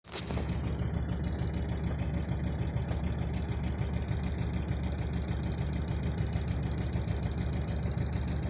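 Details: 2004 Mercedes Viano OM646 diesel, cold engine: a dull, regular knock under two per second over a deep rumble at idle, with slight idle shake that is new. The knock disappears with higher revs; plugs recently changed. Cause not yet found.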